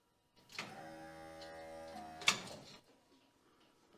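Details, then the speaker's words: 1969 Chevy Blazer electric fuel pump, briefly run dry with the fuel line disconnected after rewiring (a 6-volt issue suspected earlier): an even buzzing whir starts, holds a couple of seconds and stops cleanly. Pump working normally. "Also, I don't have the fuel line hooked up yet, so it's going to be running dry, so I don't want to run it super long, but I just want to hear it kick on."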